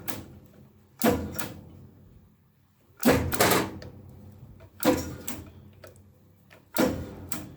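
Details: 1994 Taiwan-made Accura metal lathe, unused about two years, fuses tested good: four sharp clacks about every two seconds with no motor hum. The switch clicks but the motor fails to start; a spark was seen in the motor and the owner suspects the capacitor, which shows no bulge.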